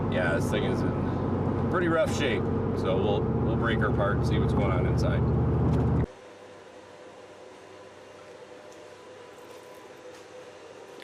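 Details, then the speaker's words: Chevrolet Silverado with 8.1 Vortec 8100 engine misfiring and backfiring under acceleration. Loud, weak, unsteady idle with rpm that keeps falling, a lumpy stumbling shaky pulse, then it cuts out. Misfire, rough running with very little power. "there's a misfire in very little power"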